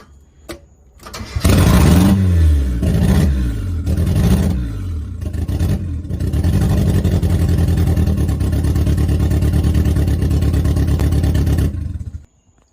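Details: 1990 Mazda Miata after sitting 7 years, restarted after idle adjustment and intake air-leak check: cranks, catches, takes sharp throttle blips, then holds a loud, raspy fast idle through what sounds like an open exhaust.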